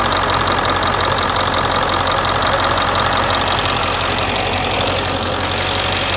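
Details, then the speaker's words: 1999 Ford F350 diesel after fixing a HydroBoost power steering leak and refilling fluid: steady high whine from the power steering pump over a clattery diesel idle, air purging as fluid circulates; no leaks. "once you hear that pump starting to wind you knew that fluid is going through it"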